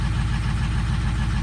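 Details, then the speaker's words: 2004 Ford Powerstroke diesel with a long crank when cold, cold start with the scan tool showing number 4 injector low on contribution: a lumpy, uneven idle with occasional dropped pulses that briefly clears, then returns; a cylinder misfire from a sticking number 4 injector. "You can feel it, it's missing right now. Just let it run a minute. There it goes, just cleared up."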